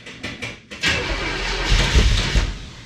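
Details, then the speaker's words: 1963 Chevrolet Impala V8 after a 9,000-mile road trip: a few cranking beats, then it catches and runs ragged, won't settle to idle; no surge this time; idle needed adjusting with elevation, owner suspects the electric choke. "Well, I didn't hear that surge this time, but it didn't want to idle, and I've had to adjust that idle a few times on that trip, depending on my elevation. But I probably need to look into that electric choke a little bit."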